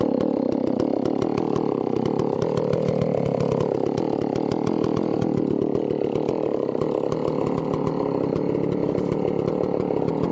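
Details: Chainsaw started cold for tree felling: a high, buzzy two-stroke scream holds steady under load while cutting and never bogs down. Normal running, healthy saw.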